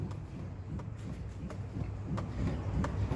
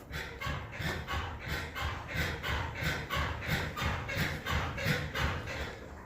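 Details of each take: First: Suzuki Jimny rocked vigorously by hand after WD-40 and petroleum jelly applied at a suspected contact point under the hood: only dull low thumps and a light tap each sway, with no suspension creak. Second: Suzuki Jimny parked and rocked by hand with hood closed: dry rhythmic creak, about three a second, from the hood rubbing at its contact points, not the suspension as suspected; treated with WD-40.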